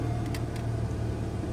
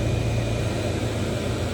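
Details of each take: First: 2008 Pontiac G6 with engine running: a few sharp clicks from under the dash over the idle hum, the recirculation door actuator failing, to be replaced (part 604-109). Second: 2008 Pontiac G6 after replacing the clicking recirculation air door actuator (part 604-109): a steady, even blower hush from the dash with no clicking or tapping; recirculation door working normally.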